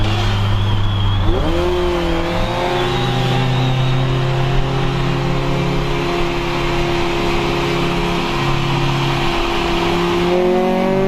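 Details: Honda CRX, Spec-D catback with added Vibrant 2.25in muffler and bottleneck resonator before the axle-back, under acceleration: smooth exhaust tone climbing and falling with throttle through the gears, no rattles, drone or misses; healthy.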